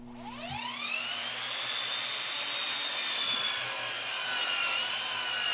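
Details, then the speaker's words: Dovaman DMS01C 10-inch sliding miter saw making a 90-degree cut through 3-inch pine in about six seconds: the motor whine spools up and holds a high, steady pitch with no bogging or chatter. Normal saw cutting under load. "The Dovaman made a straight cut in a 3-inch pine with no problem."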